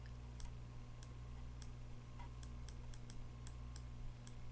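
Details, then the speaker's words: Sanyo CRT TV DS19330, chassis 19330-01, clicking at power-on: relay chattering at 60 Hz over mains hum because filter capacitor C22, rated 470 µF, measured about 4.7 nF; replacing it stopped the clicking. "and that's what ended up happening with the relay with the capacitor on the chassis that we have. And so the relay ends up turning on during the positive side, and then turning off at 60 hertz,"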